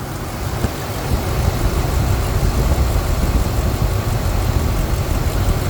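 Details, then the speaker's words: Ford 5.4 L 2V V8 after head gasket rebuild (Cometic gaskets, ARP studs, compression raised to 200–220) with new 3.5 in cold air intake: deep, even idle rumble, rock solid with no misses or ticks; no leaks, runs very quietly. "so everything is just looking great you can hear the engine running here I mean it's a beautiful thing beautiful"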